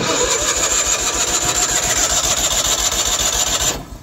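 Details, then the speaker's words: 1986 Ford F8000, sat about 8 years, choke off: quick steady cranking for almost four seconds without one firing stroke. Fuel issue suspected. "All right, let's give her a little squirt of starting fluid. See what she do. Yeah, we got a fuel issue, I reckon."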